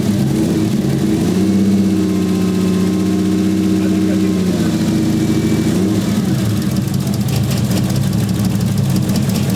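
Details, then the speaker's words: Toyota 1JZ VVTi swapped into a Nissan 240SX, idling: lumpy, uneven misfiring beat; cause found to be an injector connector not seating properly, fixed by reseating. "so the car still misfires as we all expected but the headlamps look sick bro so this sound is bad"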